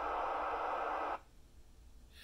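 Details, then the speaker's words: Galaxy DX959 CB radio, working properly, on receive: loud steady hiss about a second then near silence as squelch closes; high static, owner blames a nearby transformer that acts up most afternoons. "i do have a transformer in my area so you'll notice the static level is a little high seems like every day"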